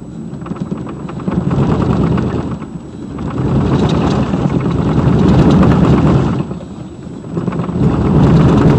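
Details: 2002 Silverado 2500HD driving: low rumbling drone that swells and fades with road speed; center driveshaft support bearing broke while off-roading in snow.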